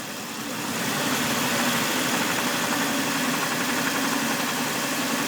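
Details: 2000 Jeep Cherokee XJ engine idling with a recently appeared steady, fairly even tick-knock about four per second; owner seeking help to find the cause, not yet known.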